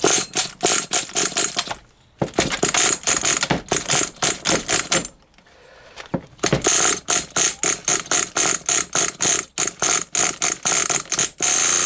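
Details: HPI Nitro Rush RC car nitro engine started after many years of sitting: rapid, sharp, high-pitched buzzing bursts come and go with throttle blips, some clattering; running fine, normal running.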